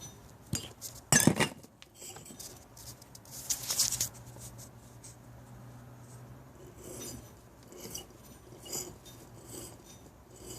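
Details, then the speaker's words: 2001 Audi S4 A/C compressor, disassembled, with the clutch plate turned by hand: irregular clinks and a dry rasp, possibly binding inside the compressor; owner unsure where the spacer or washer goes. "that's the noise it makes when i turn the this clutch plate i'm not even sure if that's what you call it but whatever"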